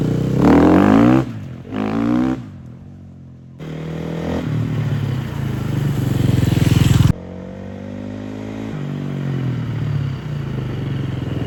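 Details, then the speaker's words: Large dirt bike that sat for years, after revival: single-cylinder thump picks up cleanly through part and full throttle and settles back evenly, no misses or knocks; running amazing. "This thing seems to be running amazing. Full throttle works, a little bit of throttle works, everything works fine."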